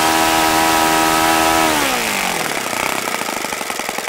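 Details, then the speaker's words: OS FS-95V four-stroke model engine, first run after rebuild, on 15% Omega four-stroke fuel, 14x6 prop, OS F plug, electric start: strong steady buzz dropping in pitch as mixture is richened, then smooth even beat; easy starting, nice running engine. "but this is a nice running engine it was very easy to start can't complain really"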